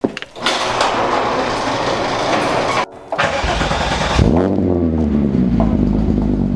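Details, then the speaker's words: VW Mk3 running on a cold rainy day: cranks briefly, catches cleanly and settles into a lumpy but steady idle with a deep exhaust note; runs fine. "She's running good."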